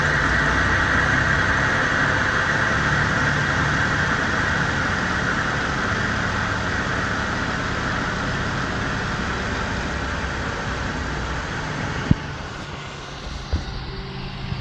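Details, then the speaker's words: 1990 Oldsmobile 98 with 3800 V6, hard start after sitting overnight, no rail pressure before start then about 35 PSI running: long extra crank, then steady slightly uneven idle with faint roughness; leaking fuel pressure regulator, to be replaced. "but you heard how it cranked extra it shouldn't crank extra it should just start with the flick of a key"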